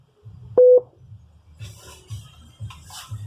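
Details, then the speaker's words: Opel Astra H CD30 radio being divorced via theft-protection deactivation with the car pass code: a single clear mid-pitched beep as radio and display enter safe/delivery mode. Radio safe mode warning beep. "And you can hear the beeping and you can see the radio safe."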